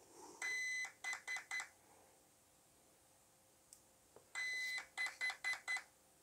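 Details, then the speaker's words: RC car ESC being programmed without a program card by holding the reset button: a long tone then three short beeps, repeated, marking program item three, low-voltage cutoff. "beeps it's one beep two beeps three beeps so then i let go of the button"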